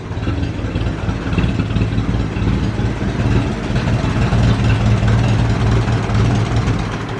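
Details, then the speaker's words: Ferguson 20 petrol/TVO four-cylinder tractor that sat in a shed about 10–15 years, first run after revival, still leaking coolant: low, steady idle with even rhythm, no misfires or knocks, oil pressure good; normal idle. "let say she's a runner okay so that's it she's a runner"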